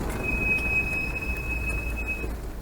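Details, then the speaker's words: Old Land Rover Defender on the road, said to squeak between first, second and third: steady high-pitched squeal that comes in as the brakes go on and holds through the stop, engine quiet; rear brakes without shims or brake dust suspected. "The hills are alive with the sound of squeaking. To me, it sounds like brakes. In particular, it could be the back brakes, because the back brakes are notorious for squeaking if they haven't got the shims in."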